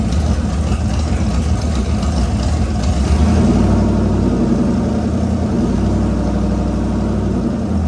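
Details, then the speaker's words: Freshly built LS V8 in an S197 Mustang, first start: deep burble at high idle, rpm sags briefly while the engine learns, then recovers and settles strong and even; healthy. "well guys i've got to run a meter again so as you can hear sounds really good"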